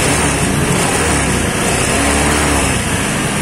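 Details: Honda Scoopy carburetted scooter after CVT service for a rough, noisy CVT complaint: engine pulls up smoothly with even drone and no rattle or judder from the belt drive; transmission now sounds smooth.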